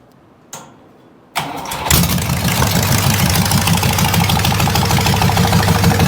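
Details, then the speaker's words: 401 Buick Nailhead V8 in a rail dragster: cranks, catches, then a regular knock about three per second over the idle; connecting rod hitting the oil pan, whose front bottom is caved in. "the Rod's hitting the freaking oil pan the bottom of the oil pan is caved in in the front"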